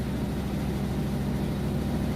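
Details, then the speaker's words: Whirlpool Cabrio top-load washer with a heavy full load on final spin near top speed: fast even spin with constant low hum, no thumping or scraping; normal spin. "about its top speed right here pretty heavy load - I can show you once it's done but it sounds great spins really fast"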